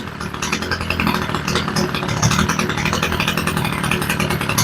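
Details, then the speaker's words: Homelite string trimmer with new replacement carburetor, mixture screws just adjusted: small two-stroke buzzing at a slow, slightly uneven idle with a light rattle; still running but idle speed set too low before turning the idle screw up. "Now the idle's pretty low, but she is idling."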